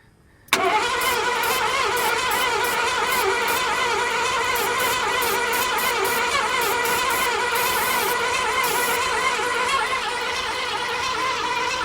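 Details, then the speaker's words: 1986 Ford Bronco cranked about eleven seconds while starting fluid is sprayed into the intake: even starter rhythm, never catches; owner suspects no spark, unconfirmed. Crank no start. "All right. Might not have no spark. I thought I was getting spark. Don't sound like it."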